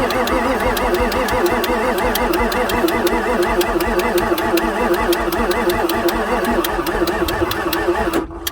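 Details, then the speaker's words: 1994 Ford F-450 7.3 diesel with weak batteries: steady, laboured cranking at about four compressions a second with no catch. Supply fuel pressure is about 10 psi and injectors fire only above about 0.4 V ICP. Owner believes fresh batteries would let it start. "I need some fresh batteries that's what I need RPM is so critical especially on an engine that's especially on a tired old diesel like this"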